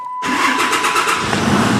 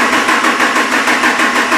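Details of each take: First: After the starter is hooked back up properly and cranked under its own power: brief quick cranking, then it catches within a second and runs steadily; normal start. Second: Sluggish, labored cranking at about three compression beats a second, with almost 4 V of difference measured between the two batteries during cranking; slow cranking from voltage drop at a poor battery terminal connection.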